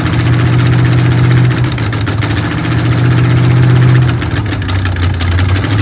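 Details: Chevy Nova with a temporary V8 on its first start; deep, steady V8 burble through open headers holding an even idle with no misses or knocks, running normally.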